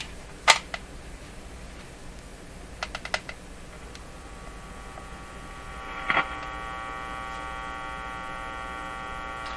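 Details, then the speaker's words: Electrohome Cosmic tube radio being tested for output distortion with its speaker: low steady buzz of mains hum under a few clicks, growing buzzier; owner suspects the hum, found coming from the radio, speaker working fine. "but i suspect it's the hum let's just see what the hum looks like"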